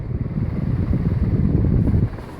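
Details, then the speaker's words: Newly installed Hampton Bay Windward II 54-inch ceiling fan running on high. Steady deep whooshing air rush with low pulsing rumble, like a helicopter propeller, and no knocking or rattle despite slight wobble. Normal operation. "The blades sound like a helicopter propeller thing."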